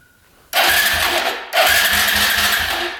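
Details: 2011 Polaris Phoenix 200cc ATV, after fixing a cut ignition wire and remounting the solenoid and controls: two bursts of brisk, even cranking with steady compression chugs; starter spins the engine freely, spark still untested.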